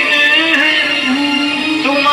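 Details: CRT colour TV with a China kit after repair of a distorted, crackling, humming sound fault (picture was fine): music now plays clean and steady with no crackle or dropouts, and the audio output works normally.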